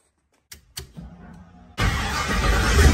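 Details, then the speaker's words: LS-swapped Chevy V8, after troubleshooting a misfire by testing spark plug wires: a couple of clicks, then catches and revs to a strong, even drone with no stumble; misfire fixed. "now our LS engine Miss five troubleshoot paid off it's fixed"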